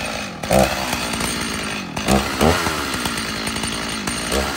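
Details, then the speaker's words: Stihl MS 290 chainsaw: runs rough, surging and stumbling when trigger is slammed instead of snapping up, dies unless throttle is eased in; bogging on acceleration, later addressed by carburetor rebuild. "oh see that time I hit the throttle really hard and it dies out it's you gotta ease into it a little bit to keep it going that's not right you're supposed to slam that trigger down and have a media trigger response and it's not doing that"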